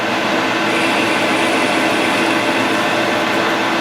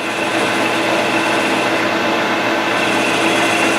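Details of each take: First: Grizzly G0776 lathe facing aluminum with a high speed steel tool bit: steady hiss of cutting under even motor hum, no chatter or squeal; clean, smooth facing cut. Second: Wide high-speed-steel form tool on a G0776 lathe at about 755 rpm, fed in gradually: a steady harsh cutting hiss with fixed ringing tones as the tool starts to chatter, which depends on speeds and feeds; chatter is suspected, not confirmed.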